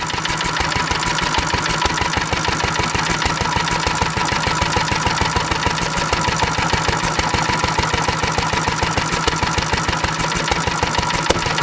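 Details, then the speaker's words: Antique stationary engine running on nearly pure Sea Foam with almost no gasoline left. It fires every cycle at an even, steady beat with no coast-down gaps; the throttle governor no longer cuts out because the fuel is not volatile enough. "there's no longer throttle govern it's not volatile enough you'll govern"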